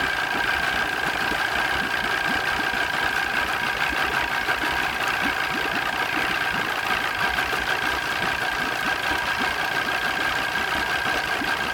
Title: Mariner 200 EFI rough idle 1